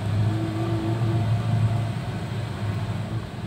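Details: 2012 Nissan Livina after Blackcore tuning, previously rough, vibrating, short-breathed: deep even engine rumble swelling smoothly as the car pulls and settling back, no roughness or misfire; engine running clean.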